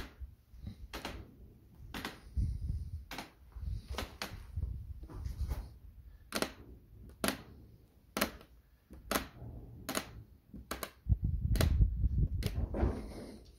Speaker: the resin bond between the tail plane fitting and tapping fitting bolts on the back of the tailplane spa has actually broken so it makes a big creaking sound when you flex it from the tip